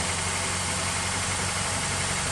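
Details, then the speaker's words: 1999 Honda Accord, first start after sitting about four years: even, steady idle with constant hiss, no misses or knocks; running cleanly. "sounds good though let's do a little walk around all right guys there we go she's running"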